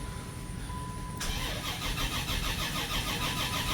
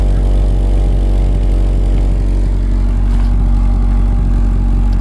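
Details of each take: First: 1984 Dodge Mini Ram van with a 5-speed manual, parked about 25 years. Brisk even cranking, then it fires and runs unevenly. Extended cranking; owner suspects the fuel system lost prime. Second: 1984 Dodge Mini Ram van, 5-speed manual, parked 25 years, after half an hour running and fully warm: deep steady idle with even beat, fan running, heater working, charging and oil pressure good.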